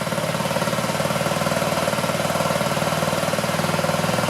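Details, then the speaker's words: 2009 Honda Metropolitan scooter after carb cleaner, warming up: uneven, pulsing rough idle about four beats a second; owner suspects clogged jets in the recently fitted but possibly long-sitting carburetor. "Let it warm up a little bit. Doesn't sound real consistent."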